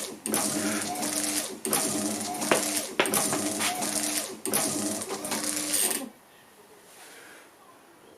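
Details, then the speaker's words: Classic Gilbern with a retrofitted Ford Focus Mk2 wiper system, wipers now parking correctly; even motor whirr, sweep about every 1.4 s, running fast on battery-charger voltage, then parks and goes quiet; normal wiper operation. "go just a bit of extra loading and we have parking windscreen wipers and they're even parking on the right side so that actually that's pretty good isn't it it's running fast even though it's a slow connection"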